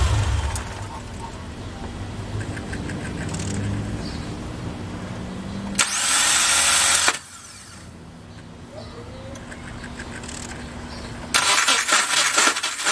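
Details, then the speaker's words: 2007 Subaru Forester cranking: two bursts of harsh, raspy grinding well above engine hum; failed starter grinding, replaced. "So you heard how bad that sounded, right? Okay, the starter's right there."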